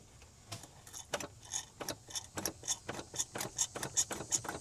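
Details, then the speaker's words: 1973 Ford F100 Ranger XLT, cranking with the coil unhooked and the fuel line off; the mechanical fuel pump ticks sharply and regularly, pumping gas that is clearing up. "it's trying to do something so I've already been pumping some of it it's clearing up pretty good"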